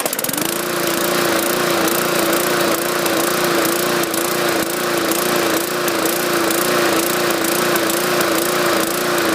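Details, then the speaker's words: 2014 MTD 20-inch push mower, 300E engine, main jet drilled out to 0.6 mm: steady drone whose pitch rises and falls about every second, surging; owner suspects the oversized jet and plans to fit an unbored one. "okay there you go plugged in make a difference still surging I'll have to remove the carburetor and put the uh right size cartridge back in it"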